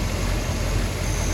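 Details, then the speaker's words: Hemi V8 muscle car engine idling at 14 degrees base timing, vacuum about 13.5 inches, which is called optimized; steady, slightly lopey deep rumble with no knocks or misses, normal idle. "It's probably very difficult to see on the camera, but we're sitting at 14 degrees of initial or base timing. And our vacuum is bouncing around 13.5 inches."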